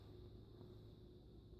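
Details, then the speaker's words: 56" NuTone Proline industrial ceiling fan, believed second generation, on medium-low with good bearings: soft, steady whooshing drone with no ticking, rubbing or wobble. The fan turns smoothly. "airplane prop and kind of I guess it kind of sounds like a jet engine when it's starting up when we switch it to high which I'm gonna do now really sounds like a jet engine very powerful fan"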